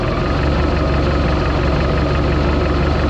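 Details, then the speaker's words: 1976 Mark Twain Mercruiser 120 hp, timing checked with a timing light at 8 degrees from top dead center on number one cylinder during tune-up; smooth even idle, steady low beat, no misses or knocks, normal idle. "that's where you want to be that's why she starts and runs like she should she's smooth"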